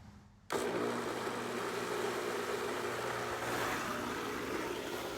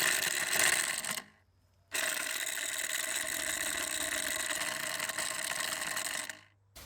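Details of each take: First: Intex pool pump after repair of its broken motor balancing rod, with valves opened and no leaks. Switches on sharply and settles into a steady, even hum with water rushing. Smooth and quiet, no rattle, running normally. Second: Intex pool pump after repairing a broken motor balancing rod, run dry with no water: harsh gritty grind between two brief cutoffs; sounds rough, owner suspects lack of water is the cause, no seizing unlike the earlier jamming.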